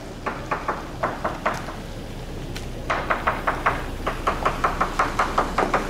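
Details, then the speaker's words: Hammer tap test on a fiberglass yacht hull: taps at two to three per second, some flat and dead instead of sharp; suspected hollow patch in the hull. "completely completely delaminated and that almost extends to here and it gets hot again up here there's a delaminated patch below the below the tape"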